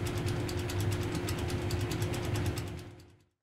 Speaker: The wheel is generally held on by a set screw. If the set screw is loose then the blower wheel will shake and make